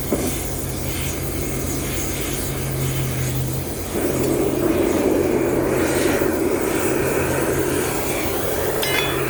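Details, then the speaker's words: Homemade Kwiky oil burner on compressed air: loud steady jet-like roar with low constant hum that gets fuller partway; owner suspects too much air pressure, around 40 psi suggested, and later a too-small lid hole smothering flames; air compressor running. "maybe it's too much air pressure and again I hear people say the only way to use 40 psi that's sounding promising"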